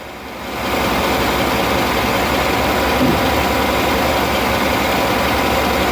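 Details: 2008 Chevy Avalanche with an idle-only misfire and P0300 code, after the plug swap between cylinders 1 and 3. Loud, busy idle with an uneven stumbling beat. The cause is a spark plug with a cracked porcelain; the miss moved with the plug.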